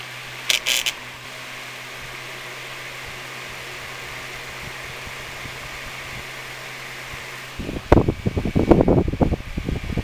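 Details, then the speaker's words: Sunbeam Blizzard 8-inch desk fan with a regular 7-inch blade: low steady motor hum and soft even whir, then clattery handling near the end; runs smoothly but doesn't spin quite as fast. "because you can hear it doesn't quite spin as fast"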